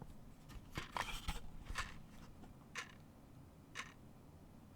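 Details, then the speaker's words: Salvador Dali clock with its original movement, before it is replaced by a silent movement: sharp, very loud ticks about once a second in a quiet room. "it is a very very very loud clock"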